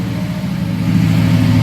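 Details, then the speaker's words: 1972 Oldsmobile Cutlass S with fuel-injected LS V8 swap, Doug Thorley headers, dyno-tuned, automatic: smooth, steady rumble at raised cold-start high idle, no knocks or ticks; normal healthy engine. "started it cold there, but it'll give you an idea what it sounds like."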